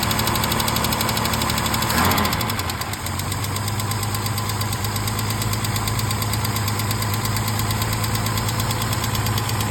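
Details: 1968 Mercedes-Benz 230 after Zenith 35/40 INAT carburetor repair, with the stripped fuel inlet and leaking fuel return valve fixed, first start in about a month; light, quick lifter ticking in time with the idle, present for 30+ years.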